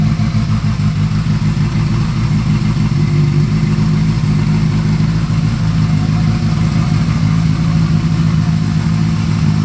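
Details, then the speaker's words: Honda CB550 four-cylinder build, first start, pod filters, 110 jets, carbs not yet synced, choke off after a minute or two of running: steady even idle with smooth low burble, no misses; running well. "it's actually running really really well before I even um messed with sinking the carbs and everything"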